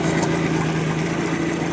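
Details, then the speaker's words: 1986 Mercury 90hp outboard after water pump replacement, running in a tub of water: steady, even idle with smooth low hum, no knocks or misses, pump giving a strong stream; normal idle. "All right, folks, there it is. Running. Pumping water on its own. Nice strong stream."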